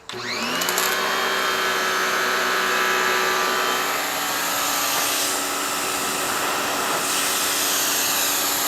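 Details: Clean Force 1400 psi electric pressure washer salvaged from the trash, running with a borrowed wand: steady, even high motor whine with pump hiss holding constant; runs healthily.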